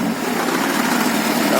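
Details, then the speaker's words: Moskvich 2140 engine at idle: a light, even knock caused by a loose or missing alternator mounting bolt. The knock stops when the alternator is braced with a pry bar. "Стучит. Не стучит. Значит, открутился болт генератора. Или его совсем там нет. Вот такой стук."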